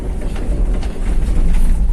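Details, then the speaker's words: 2012 All New Avanza EPS on rough road after repair: steady road rumble, no steering knock; previous clunk fixed by fitting an O-ring to the bearing. "ya Selatan rusak tapi sekarang nggak ada suara sama sekali"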